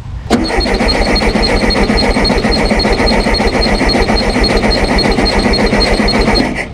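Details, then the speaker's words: Abandoned 1974 VW Super Beetle, off road since 2002, starting fluid in carburetor: starter churns steadily three to four turns a second for six seconds, never catches; no gas reaching fuel filter. "so I'm gonna go ahead and turn the engine over a little bit and see if our fuel filter picks up I put a little bit of start uh starting fluid in in the carburetor"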